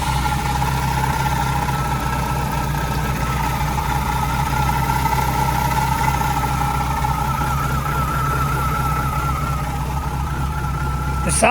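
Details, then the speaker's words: Renault Clio 172 just out of hibernation after an engine rebuild: steady idle with a faint uneven chop in the exhaust beat and a light whine on top. The idle sounds choppy, different from an earlier noise; cause unclear. "this sounds chop chop chop chop chop chop choppy which we did have that n"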